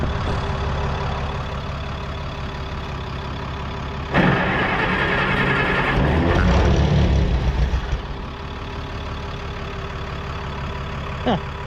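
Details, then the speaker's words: 1960–63 International Cub Lo-Boy tractor, sat over 10 years, cranked on jumper cables: catches and runs a few seconds on starting fluid, then fades; compression good, fuel delivery problem, old fuel to be drained. "You saw it has compression, it runs off the starting fluid, so we know that"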